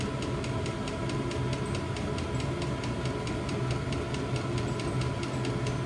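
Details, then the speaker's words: New diesel heater replacing old petrol heater in VW T25 Westfalia, first startup after E10 errors in cold January; even fan hum with light regular fuel pump tick about three a second, running normally. "I think we got something now. Sounds like it's about to take off."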